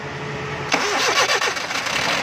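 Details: Suzuki Mehran with a starting problem: a short crank bursts into ragged, uneven firing that stumbles before settling into a rough idle; the engine is reluctant to start.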